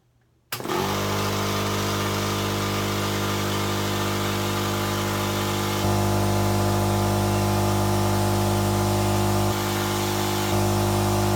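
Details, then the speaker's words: Air compressor after a fix made by tapping a section with a rubber mallet, running with no air line attached: steady, even motor hum with open-line air hiss, no knocking or grinding; sounds healthy. "If you hear the air, that's because I ain't got no air line on the other end."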